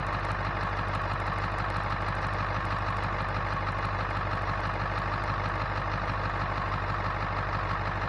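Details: 2000 Ford F250 with 7.3 Powerstroke diesel, first start after its failed turbo was replaced with a KC Turbos Stock Plus, checking for oil leaks at the turbo: smooth, even diesel clatter with a steady low rumble, nothing irregular; no oil seen, healthy idle.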